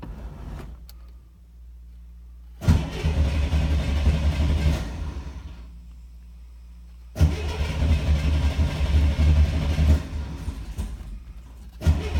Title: Hard Starter